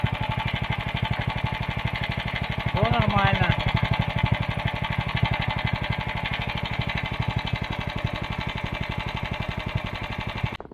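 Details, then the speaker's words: Lifan 190F 15 hp single-cylinder engine after fixing a knock caused by wear in the crankcase cover (shimmed camshaft with a washer): steady, even beat with no knock, running smoothly until switched off. "вот Джок запустили Шума нет никакого работа"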